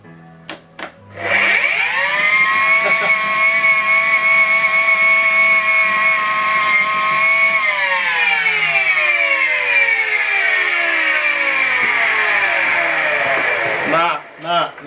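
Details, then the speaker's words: Miele Complete C3 vacuum cleaner (one of two units compared) running. Loud, high screaming whine with a harsh rasp, winding down at switch-off, sounding like a sawmill; harsh motor noise, cause not determined. "This one sounds more like it's working. This one sounds like a this one sounds like saw machine."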